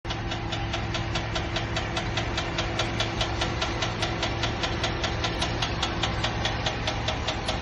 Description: Just had this weird ticking sound in my engine bay. It just started. Does anyone have a clue?